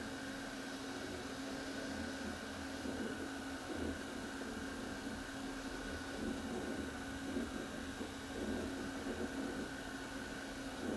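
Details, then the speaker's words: Panasonic PV-V45 roadside-find VCR: a steady, even hum with a constant tone and no warble or crackle; the tape now plays cleanly. "As you can see, this tape is now playing fine. There's no noise."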